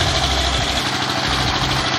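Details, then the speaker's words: S-1100 16 HP single-cylinder diesel, previously hard to rev, uneven sound and stalling, now in post-service testing: steady, even, strong beat with no misses or surging; running stable and powerful. "Oke, teman-teman Diesel, sekarang sudah memasuki tahap pengujian dan suaranya sudah mulai stabil dan bertenaga."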